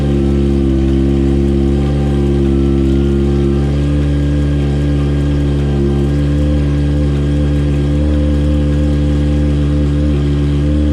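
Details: Honda F4i sport bike on its first start after fixing a non-priming fuel pump: the engine catches and settles into a steady, even run with no misses or knocks. Running normally.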